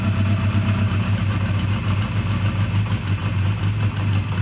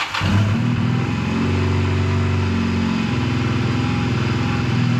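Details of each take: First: 2001 Honda Rebel single-cylinder idling on full choke in neutral: the idle pulses and surges unevenly, loping as if starved of fuel; running out of fuel is suspected, not confirmed. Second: 2001 Honda Rebel motorcycle, tired but runs well, cold start with choke fully on, in neutral: fires right up and settles into a steady, even low thump with a slightly fast choke idle; normal cold idle.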